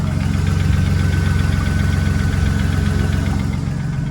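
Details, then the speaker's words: BMW E36 drift car petrol six at idle; light, quick ticking about three per second riding on top; lifter tick suspected, lifters to be replaced. "you guys can hear that got a bit of a lifter tick going on here see if you can get a good listen to"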